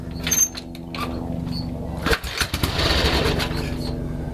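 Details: 1965 Harley-Davidson XLCH with a Bendix carburetor that won't start: after a shot of starting fluid the old twin coughs and catches in uneven bursts of firing, pointing to a fuel delivery fault rather than spark; cause suspected, not confirmed.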